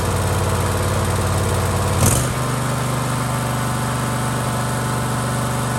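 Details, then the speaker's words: Husqvarna LGT2554 riding mower with Kohler Courage 25 hp engine, after the surging fix inside the carburetor (jet down under the plate): one short blip, then a flat, even drone with no rise-and-fall hunting; surging gone, running smooth. "As you can see, all the surging is gone. It has not run like that before."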